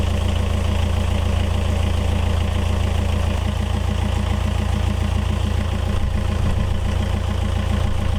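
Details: Yanmar 4JH4E marine diesel in a sailboat, first run after 10+ years sitting since 2006: steady, even smooth idle thrum about four beats a second; oil pressure good, running clean and healthy.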